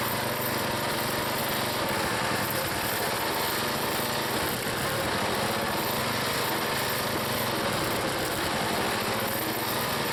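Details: Log splitter engine on a cold day, Seafoam added, splitting firewood under load: steady, even buzz with no misses or knocks. It runs good and sounds healthy.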